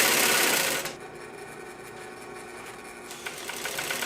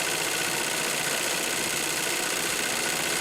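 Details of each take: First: 1942 Singer 111W153 triple-feed sewing machine, before oiling, while winding a bobbin: fast, even clatter about 220 beats a minute with a sharp metallic rattle; the hook sounds dry and noisy, owner oils it. Noisy hook. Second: 1942 Singer 111W153 triple-feed sewing machine, just after oiling the noisy hook: fast, even mechanical whirr about three beats a second, no rattle or clatter; runs smoothly and sounds better. Normal running.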